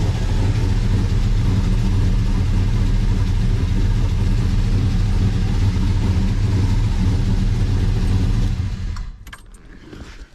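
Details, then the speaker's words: 1970 Pontiac GTO, LS-swapped V8, first start after swapping cam, heads, intake and throttle body: loud deep idle with a slightly uneven lope before shutting off; rough idle, owner thinks the tune is off for the changes. "idle yeah she didn't want to idle too good at first but I think the tune's just off for all the changes we made"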